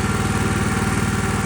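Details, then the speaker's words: Ditch Witch 1820 trencher, 18 hp petrol engine after carburetor cleaning, running by itself with choke off at idle: even, steady low chugging, regular firing, no misses, a touch fast; could be set slightly slower; normal idle. "Obviously, I've done nothing to it. It's just running by itself. The best thing is that the choke is off and it's on idle."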